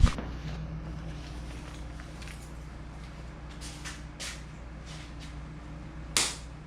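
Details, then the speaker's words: Mitsubishi Conquest (G54B turbo) idling after new relay added for fans and new blow-off valve fitted; smooth even hum, temperature a little over 180; normal idle. "So as you can see, it's idling beautifully."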